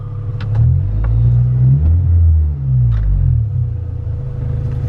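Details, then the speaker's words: Stock 2000 Honda Civic, stock fuel system, on E85 it isn't built for, AFR maxed at 18; low uneven rumble that stumbles and sags when revved, never picking up cleanly, very low power. Extremely lean misfire. "so what we did learn from this is that your car will run with 85 if it's not meant for it but it'll run really badly low on power extremely lean"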